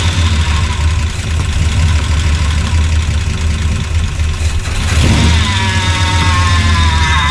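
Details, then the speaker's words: 1976 Chevy C30 dually, freshly swapped Gen 6 454 big block with hydraulic roller cam, running on residual fuel: deep steady V8 idle, slightly uneven, brief rev blip; idles fine despite coolant and power steering leaks. "But she idles. I'm just gonna get her moved out of the way here."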